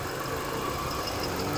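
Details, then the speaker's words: Hyundai Tucson, imported automatic, idling; low steady hum with no knocks or misses under outside noise, engine runs smoothly and healthy. "đang nổ đây ạ Máy nổ rất êm"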